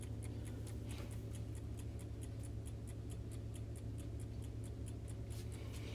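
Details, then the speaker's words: Vintage Coca-Cola electric rewind clock, movement cleaned with Super Clock cleaner and bushings lubricated: crisp, even ticks about two and a half per second in a quiet room, running healthy. "I went ahead and sprayed it down with the Super Clock clean followed up by some clock lubricant on the bushings and it seems to be ticking away quite healthy nice"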